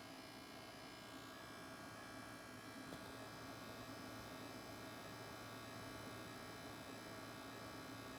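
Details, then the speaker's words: Sony PlayStation 5 bought at release: steady, harsh, chainsaw-like buzz at one pitch, audible 8 feet away, coming from the bottom rear, not the fan; others call it coil whine, origin unconfirmed; console was returned. "So right, guys, as you can see, that's a pretty loud noise. And it's, as you can see, it was like a chainsaw type of noise."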